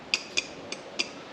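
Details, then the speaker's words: Remote-controlled hydraulic log splitter's 12 V DC push-button control box under test: four sharp metallic clicks in quick succession as the solenoid, confirmed to have power, switches cleanly and works. "We have power coming to this solenoid. Lovely. So both of these are working. I'm not sure if you can hear that click. That's this one working."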